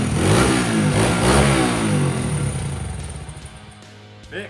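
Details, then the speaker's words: Dirt bike recovered from a lake, after carburetor cleaning/repair: it revs up crisply and settles back cleanly with a strong, even buzz and no misfire or bogging, running as good as new. "finally after hours and days of hard work we've got this sunken dirt bike running as good as new"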